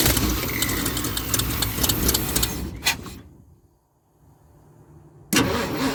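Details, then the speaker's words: 1976 Ford F250 crew cab, parked about 17 years, weak battery: starter churns steadily for about three seconds but never catches. Crank, no start; not getting fuel is suspected. "sounds like she's not getting fuel let's try to pour a little bit more gas in there right I have to charge that poor old battery"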